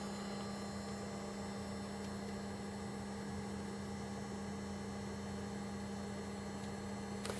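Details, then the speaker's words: VCR rewinding a tape: steady, even motor hum at one pitch with no catching, squeal or clatter; the mechanism sounds healthy, possibly needing exercise. "yeah yeah it appears to be rewinding let's oh my God why does it keep doing that maybe the mechanism needs a little bit of uh exercise that sounds very healthy to me"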